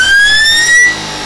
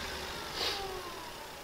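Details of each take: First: Electric motor on a beta-test speed controller, checked against a standard Kelly controller: holding the throttle open does nothing, but releasing it brings a rising whine, then the motor runs full speed with no throttle control, repeating every time. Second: Simple electric motor on a 72-volt, 800-amp, 144-volt-rated motor speed controller under beta test with the field shunted; faint, clean whine gliding smoothly down in pitch with light clicks as it spins up freely with good power: normal motor run.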